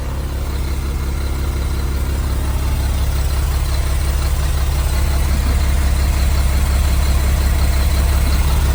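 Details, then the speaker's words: 1975 Mack FR700 8x4 diesel idling at first start after years sitting: heavy idle with a steady chuff about three times a second; air compressor puffing from its open discharge port. "The noise you can probably hear is the um air compressor. It's just got an open discharge port at the moment. So, it's just chof chuff."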